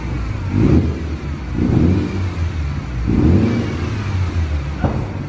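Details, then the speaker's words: Series 6 Mazda FD RX-7 rotary after backfiring fix, first start, run 5–10 minutes but still a little cold; three blips over 3,000 rpm rise and fall cleanly with no pops. Previously backfired when revved near 4,000 rpm. "Over 3,000. It's flowing better. It's flowing better. It's still a little bit cold though."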